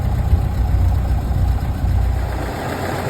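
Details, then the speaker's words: 1931 late Model A Ford coupe with a new Snyder 5.5 head, first run after a full engine teardown, still cool with the thermostat not yet open: deep, even, low-pitched chuff at a steady idle with no knocks or misses; it is warming up healthy. "radiator is starting to make a little heat see down in there thermostat hadn't opened yet this is still cool warming up nice"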